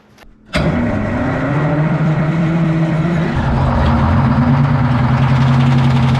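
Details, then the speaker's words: Abandoned twin-turbo 12V71 Detroit two-stroke diesel generator, first start after retrieval: cranks, catches, runs loud and steady with light rattle; engine fan hitting its guard. "what's that thing rattling in the fan is that what that is that rattling noise yeah it's hitting the the fans hitting the guard"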